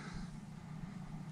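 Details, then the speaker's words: MrCool DIY mini-split indoor unit after fan motor replacement, heat mode set to 80 degrees: soft, even low hum with no rattle, scrape or whine; back to whisper quiet, normal fan operation. "there it goes it's super quiet and that thing's cranked all the way up to 80 degrees and that sounds nice to me it's not making much noise so that sounds great"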